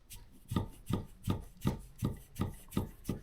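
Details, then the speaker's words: 2024 Kovi Lite 300 dirt bike, SZC Base fork after an oil change: fork leg assembled incorrectly gives dull knocks about three a second when pulled upward with the foot on it, showing play; fixed by loosening the bottom bolt and re-tightening. "Ось це перо і в мене зібрано неправильно. Я ставлю ногу, ну, притискаю просто його і слухайте, якщо роблю"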